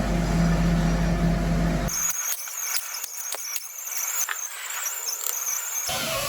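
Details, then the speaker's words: Scania DC12 dump truck engine with an oil pressure complaint, spun bearings and scored cylinders: the oil pump is turned by hand and gives a dry high squeal in short chirps. It is very stiff but still pumps; metal chips are likely a consequence, not the cause. "Насос крутится очень туго, но при этом он качает."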